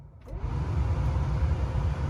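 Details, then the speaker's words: Cadillac Eldorado HVAC blower after replacing worn blower motor that wobbled and scraped, fan on high with engine idling: steady, even rush of air, no rattle, squeal or wobble; repaired and quiet. "Still really quiet."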